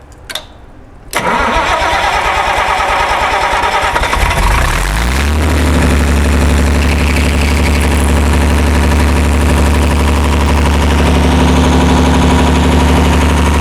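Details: Perkins 354-series diesel on a 45 kW Empire generator, cold start after injection pump reinstall: brief crank, catches and settles into a steady even low idle near 50 Hz, no misses; making voltage, oil pressure fine, normal start.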